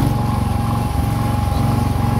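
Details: Wheel Horse tractor single-cylinder engine chugging unevenly, faltering and nearly dying, with stalling and a loud backfire; owner suspects carburettor problems.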